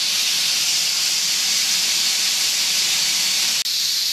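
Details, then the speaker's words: Boiler safety valve set on steam to pop at about 120, after an earlier setting went to 140 as too tight; leaks slightly near popping then lifts: steady loud high hiss, no chatter; normal clean lift. "they all leak a little bit when they get close to popping they're just kind of hovering there and then pop off beautiful"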